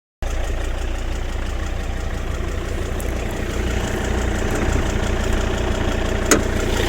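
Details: Volvo XC90 D5 diesel at idle: an uneven low knocking pulse, roughly three per second, over the diesel clatter. Abnormal idle noise, cause unclear.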